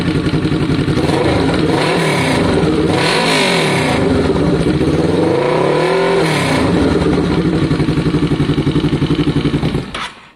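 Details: Kawasaki ER6n parallel twin project bike with new spark plugs: revs up and drops back cleanly several times, then shuts off; crisp, even exhaust note, engine sounds healthy.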